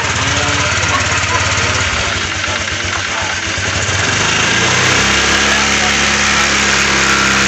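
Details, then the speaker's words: Honda Vario scooter, throttle opening: coarse buzzing rattle over the exhaust beat; loose radiator cap cover vibrating; fix with double tape and rings or rubber pieces. "Ayo kita coba akan goyang-goyang tuh kalau kena getaran pasti bunyi jadi kita buka dulu ni"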